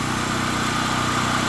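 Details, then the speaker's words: Gasoline generator converted to run on propane, 240-volt backup, starts in two or three pulls: loud steady drone running wide open, no misses or knocks; normal running on propane. "there you go I know it's loud but running wide open on propane literally take two or three pulls to crank it"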